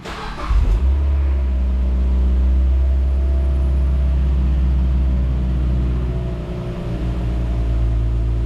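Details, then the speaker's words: 2006 Mazda Miata NC, 44 miles short of 100,000, spark plugs just replaced (never done before, due at 75K); out of gear, clutch out: quick crank, catches cleanly, settles to smooth steady low idle, no misfires, ticking or warning lights. Normal start and idle. "Let it idle down, clutch out. Seems like we're good. No issues, no lights,"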